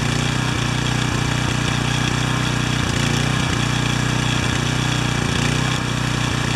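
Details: Pressure washer small engine after choke adjustment: uneven, lumpy beat near three pulses a second, still on choke; the automatic choke takes a long time to open but works.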